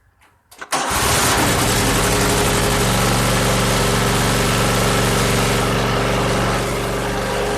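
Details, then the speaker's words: 2001 Cub Cadet 3184 (MTD), 848 hours, previously running rough, after tune-up (overdue oil change, cleaned clogged air box, plugs serviced, one plug regapped): catches instantly after a brief crank, then a steady, even twin idle; healthy. "Oh yeah, I can already tell, 100% difference. That started up instantly, gotta like that."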